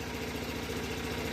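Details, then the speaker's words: Onan twin-cylinder generator, started after a fuel supply, a 12 V supply and an oil level check, run to charge devices: steady, even low pulsing with no misses or knocks; healthy running, always fires up. "But yeah, all I had to do, this is a nice unit, always fires up."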